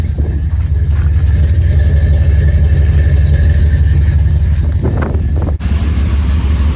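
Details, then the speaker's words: 1977 Dodge D200, freshly rebuilt 360 V8 with mild RV cam, long-tube headers and chambered mufflers, exhaust mocked up; deep, mellow, smooth even rumble revving with no ticks, knocks or exhaust leaks; sounds healthy: normal V8 revving. "now we went from a crazy loud 360 to a nice mellow 360. Sounds really good. Like I said, not a big cam in it, basically an RV cam, but does it ever sound healthy?"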